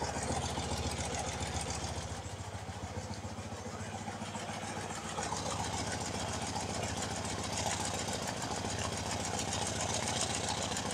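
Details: BMW R90/6 Airhead flat-twin after a top-end reseal with one valve and guide replaced, idling and checked by stethoscope: a light, quick tick in steady time on one side only, not the other. Top-end ticking, not yet diagnosed.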